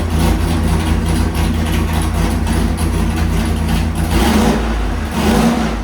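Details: 406 small-block Chevy nitrous street engine with nitrous camshaft on engine dyno, rejetted two numbers richer after running lean, 750 carb: deep loud V8 roar held under full load, no misfire, pop or stumble; reached 1.25 hp per cubic inch. Normal full-throttle pull.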